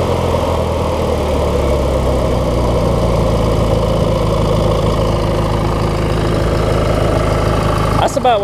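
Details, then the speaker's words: 19.5hp Briggs opposed-twin engine on a 20+ year old Craftsman mower, after setting the governor and spring, adjusting idle speed and blowing water and corrosion out of the carb: steady, even low putter at a settled idle, no hunting; idle is good. "you want to hear it at idle right there let's go"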